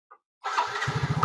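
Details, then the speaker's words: Yamaha fuel-injected motorcycle after cleaning a clogged injector: catches quickly after a short crank and settles into an even beat of about twenty pulses a second; clean, healthy start and idle. "Posisi sudah dibersihkan, kita nyalakan, sudah enak ini."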